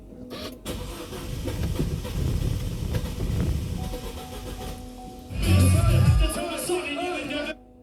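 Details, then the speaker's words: 2011 Holden Cruze 1.4 turbo, cold start: long labored crank under loud music, then uneven catch and stumbling before idle; a few misfires, nearly 15 inHg vacuum at idle, leaking purge valve. "That was interesting, difficult start there. We'll just give it another try. Definitely a few misfires, but as you can see, we've got nearly 15 inches of vacuum at idle. So that purge valve's definitely no good."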